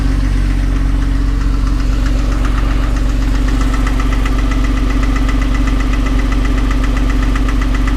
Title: 2006 Porsche 911, 997.1 Knocking Sound